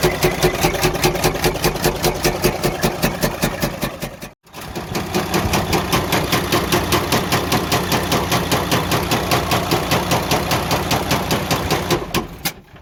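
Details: Freightliner Cascadia DD15 diesel idle with heavy, regular knock 2–3 per second continuing after a brief stop; major internal damage, engine considered gone and needing repair/overhaul.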